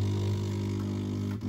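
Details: DeLonghi coffee machine showing a red triangle error, brew unit barely moving: a low motor drone with gritty metallic sounds like a coin in a metal can, worst with the brew unit in the down position. Cause: worn brew-unit main drive shaft.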